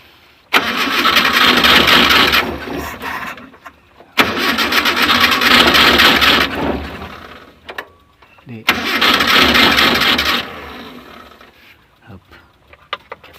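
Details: Carbureted Mitsubishi car that is hard to start: three long cranking spells of about three seconds each, with an even starter churn but no firing; cranks but won't start.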